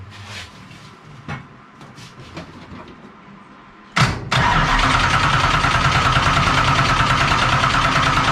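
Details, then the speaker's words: Dirt-track race car that died at practice, gas line just blown out empty: steady even cranking at about three beats a second that never catches; fuel pump not delivering fuel, not even bubbling. "Not even bubbling. Huh? It's not even bubbling."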